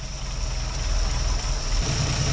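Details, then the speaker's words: 1958 Chevrolet Apache that had been sitting, started on a chilly morning with the valve cover off after timing set: low, even idle with light rapid ticking from the open rockers, steady like a sewing machine; running much better. "it is running way better than it was obviously quieter but running better"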